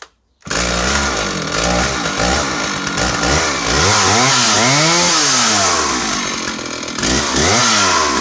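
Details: Stihl 056 AV Super 87cc chainsaw after fitting a new SEM ignition module that cured a missing: crisp two-stroke howl revving cleanly up and down with no misfire or stumble; normal running.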